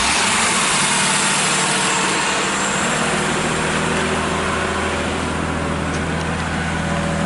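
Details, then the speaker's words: 1980 Mercedes-Benz 280CE (W123), started after a cranking test that hinted at one slightly low cylinder: steady, even engine note with no misses, knocks or ticks, and the engine is judged good. "all right Okay so we've got a good engine there"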